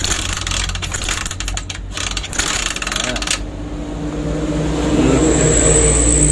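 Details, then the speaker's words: Honda Megapro motorcycle with full-wave ignition and charging coil after tracing and reconnecting the wiring: single cylinder catches and runs with an even steady beat, normal running. "Nah, kalau minyak ada, karbu bagus, busi bagus, api bagus, motor pasti nyala, bro."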